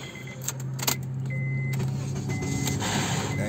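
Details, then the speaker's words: 2012 Honda Accord with no-crank complaint, after replacing the faulty starter: a few light clicks, brief crank, then engine catches cleanly into a steady rising idle: normal start. "we are in business let's let it charge up a little bit if it doesn't need it the better is good so quick diagnosis not a bad job"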